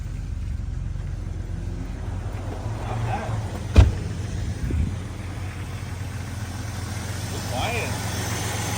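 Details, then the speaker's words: Jeep Cherokee started after sitting 5 years due to corroded battery terminals: quiet, even low idle with no ticks or knocks, just a brief bump from handling; runs smoothly. "no ticks no knocks nothing"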